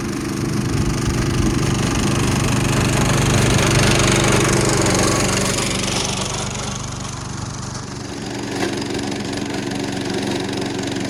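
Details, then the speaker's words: Vintage National reel mower, about 70 years old, small single-cylinder engine, just serviced with its stuck reels freed, attempting to mow: heavy, uneven chugging, bogging under strain and fading as if about to stall. The engine is labouring and overloaded. "That engine does not really sound happy. It sounds like it's working super hard."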